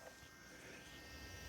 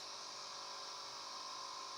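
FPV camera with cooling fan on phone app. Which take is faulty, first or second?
second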